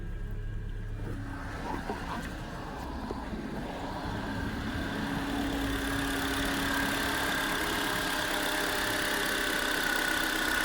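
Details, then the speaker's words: Honda Accord, after replacing dead relay that caused no-start: engine catches and settles into a steady, even idle that firms up after a few seconds, no misses or knocks; relay was the problem. "Alright, that is the engine up and running. As you guys can see, the relay was the problem right there."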